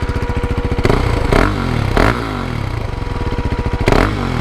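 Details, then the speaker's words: KTM Duke 390 single-cylinder with a pre-muffler delete, revving: crisp thump at idle with four quick throttle blips that rise and fall cleanly. Owner notes a loud fan and slight valve noise but thinks it's normal; engine revs freely and sounds healthy. "I think it sounds sick with that little pre-muffler delete."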